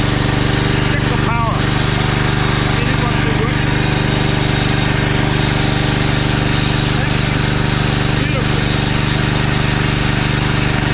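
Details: Honda GX390 generator engine started (damaged power board, suspected water leak short; switch also needing replacement): steady even single-cylinder beat at constant governed speed, no misses, knocks or surging; normal running.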